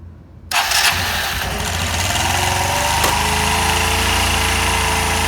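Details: 1985 Honda Elite 150 scooter after a drive-belt replacement and variator check: a quick crank that catches within half a second and settles into a steady, even idle with no knocks or rattles; normal start and idle.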